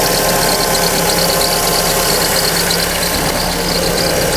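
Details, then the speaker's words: Fiat Fire-engine car (Siena/Palio type) at cold idle: quick high chirp repeating steadily over the engine note, suspected from the original accessory belt; returns after accessory belt changes. "barulhinho V incomodando aí muitos donos e de Siena Palio vários carros equipados aí com motores Fire troca correia de acessórios e mesmo assim o barulho volta depois"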